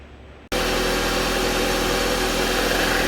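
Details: Jeep Compass engine start and idle: a busy metallic rattle over the running noise, traced to a loose, stretched timing chain. Fixed by replacing the timing chain.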